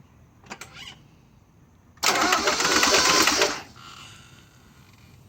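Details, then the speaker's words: 1996 Mazda Miata after throttle body change, clutch in: brief click then high-pitched whirring from starter without engine cranking; owner unsure whether no compression or blown head gasket; starter spins without cranking engine. "whenever I start the car it sounds like it starts to want to turn over and then you get a high high pitch whirring noise from the starter"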